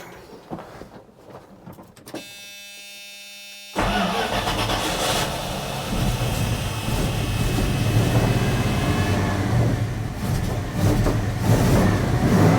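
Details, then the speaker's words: 1980 Dodge W200 with Magnum 5.9L V8 and Holley 600 cfm four-barrel, cold start after rejetting to 65 jets and changing the power valve to fix a super-rich mixture: starter whirs, V8 catches and settles into steady, even lumpy idle, no misses; running properly. "I'm hoping that cured everything let's uh let's start it again and see what we get here this should be a thousand times better"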